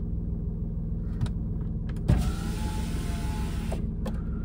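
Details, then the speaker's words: 6-year-old Tata Nexon XM idling, heard from inside the cabin: power window motor hums smoothly under two seconds closing and stops cleanly, no grinding or strain; normal power window operation. "आणि जेव्हा Windows बंद करतो हा काही तुम्हाला आवाज असा येईल."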